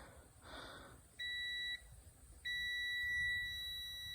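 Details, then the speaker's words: LG microwave door switch continuity test with door closed: meter gives a short beep then a longer steady tone; normally open switch closes properly, so it isn't the fault. "since I have that door closed that normally open switch becomes closed oh goodness you can hear that buzzing"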